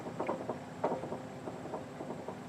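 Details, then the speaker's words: 2008 Honda CR-V, rattle in left front over bumps: dull, uneven knocks about three a second as the sway bar link is pushed by hand, from a worn ball joint socket; link to be replaced. "That noise is actually coming from right inside this socket right here. So this socket is actually worn out."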